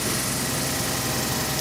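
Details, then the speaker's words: Ford diesel at -25°C (-13°F), unplugged overnight, remote-started after slow cranking with dark smoke: loud, steady, raised idle with an even rumble and no knocks, a cold engine on fast idle during its warming cycle. "oh look at that she started up pretty pretty good cranked pretty slow"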